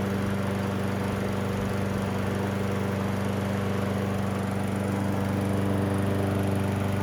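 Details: Toro Recycler 20377 self-propelled front-wheel-drive mower, discarded but believed to still run, started outside after carburetor cleaning, air filter reinstall and oil top-off, low on gas: steady, even single-cylinder putter at constant speed, no misses or surging; normal running.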